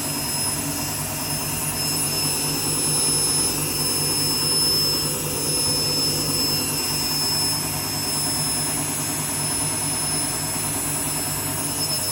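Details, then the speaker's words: Washing machine empty rinse cycle, final spin: steady loud jet-like roar with high whistle throughout the fast spin, no letup; worn drum bearings suspected, not confirmed. "hear that the bearings are going."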